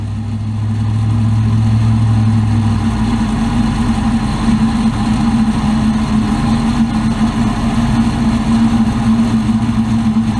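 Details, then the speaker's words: 2003 Chevy Avalanche running: steady droning whir that rises in pitch early, no clear grinding heard; owner suspects a transfer case bearing or the automatic high-low shift motor. "did a little research making that it's a bearing within the transfer case it's got that weird grinding noise"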